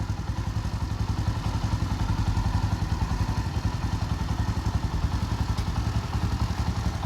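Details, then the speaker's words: Bajaj Boxer X150 single-cylinder motorcycle idling just after an oil change following a 697 km trip; steady even putter with no knocks or rattles, smooth healthy idle. "Right now you can see the sound is so smooth. It idles so well."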